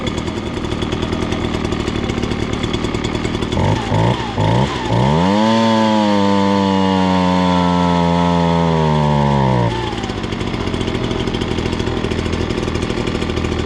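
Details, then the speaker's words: Ryobi BP42 backpack leaf blower, warmed up and off choke: idles evenly for minutes, pitch climbs when throttled, then bogs at full throttle and stalls if held; lean high-speed mixture. "oh you guys can see if you hold it down uh full throttle there it it starts to bog and if you just keep holding it it will uh it'll just stall out"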